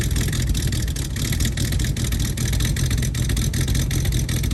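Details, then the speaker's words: 1969 Mustang that sat 15 years, running after a vacuum leak was fixed and the temperature-control relay kicked off correctly: deep, even engine note, no whistle or hiss. "And it just kicked off. So yes, it's working like it should now."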